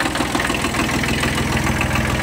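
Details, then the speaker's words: Kubota B1200 mini tractor with a three-cylinder diesel, idling in frosty weather with no leaks: a steady, even low chug with no knocks or misses. Normal idle. "Двигатель без подтеков, работает ровно, кстати, трехцилиндровый, очень простой и надежный."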